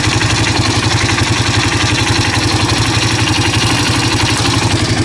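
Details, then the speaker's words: 2005 Honda CRF230F single-cylinder bike idling after a carburetor cleaning; a loose metallic clatter rides over the thump when the clutch lever is pulled, suspected clutch chatter. "Clutch chatter. Let me bring you down here. You can listen to the clutch. I have a suspicion it's got some chatter."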